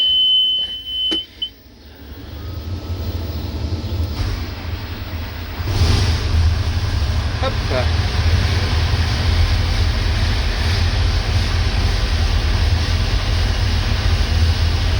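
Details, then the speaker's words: Combine harvester (2388) started up: a big diesel catches and runs rough, with a deep uneven rumble and faint clatter at low revs. Missing teeth on the engine-output bevel gear make it dislike low rpm before it rises by itself to its 1100 rpm idle. "Bon, on entend un peu que ça ratatouille, ça c'est la sortie moteur, hein, avec des pignons en moins sur le couple conique forcément. Dans le bas régime elle aime pas ça."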